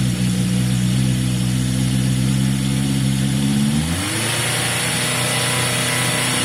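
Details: Yamaha XJ550 motorcycle cold on choke after carburetor work: steady, even idle, revs lift and settle smoothly with no misses; sounds as good as before, idle may need adjusting; normal cold idle on choke.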